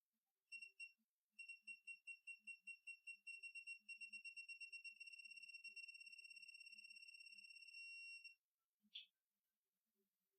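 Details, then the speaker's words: Torque wrench on a 1.8L turbo Mazda MX-5 Miata engine build: thin high beeps start spaced out and quicken to a rapid even chatter as the fastener nears target torque, then stop at target. "see how now it's actually showing you the number so as it gets closer it beeps"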